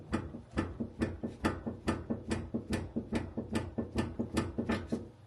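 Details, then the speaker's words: BMW E46 front wheel rocked by hand, wheel bearings already replaced without change: rhythmic dull clacking knocks about twice a second with visible play; likely worn front control arm ball joint. "it doesn't sound very good, and it's not supposed to move like that."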